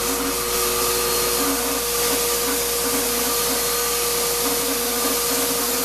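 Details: Shop-Vac vacuuming coarse grit from a rock tumbler: steady high whine with a rough, gritty edge; owner says dust previously pulled through the motor before adding a dust separator pretty much destroyed it. Grinding motor whine.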